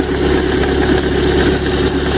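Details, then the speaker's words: Lada Priora engine idling with uneven rattling knock from belt-driven accessories; owner suspected idler, alternator or timing rollers, but the cause was play in the power steering pump pulley. "в общем как вы можете слышать из двигателя доносятся очень такие нехорошие звуки это может быть или ролик или генератор или ролики ГМ"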